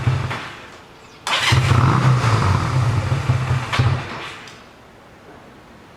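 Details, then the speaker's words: 1985 Honda Rebel, 2,000 miles, after 17 years stored, warmed up at half choke: catches, runs rough a few seconds, dies when choke pushed in; carburetor to be removed and cleaned, crusted jets. Clogged carburetor jets. "But anyways, she's not smoking now, but she's running a little rough, and now she's at half choke. I can't even return the choke. As soon as I push the choke in, she dies. So I think the carburetor needs to be taken out and cleaned up."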